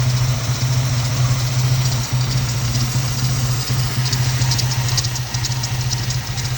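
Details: 2002 Ford Mustang 3.8 V6 automatic with rough idle and stalling, after replacing the PCV valve and breather hose: uneven idle with a stumble about every 1.5 seconds; owner suspects a remaining vacuum leak, unconfirmed.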